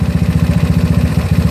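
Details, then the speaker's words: GY6 scooter with OKO PWK 30mm carburetor, mixture screw backed out far: slow, lumpy idle with an uneven thump and a brief falter, almost dying; rough idle near stalling, expected to start hard. "a little different not a little bit more kamar but almost dying"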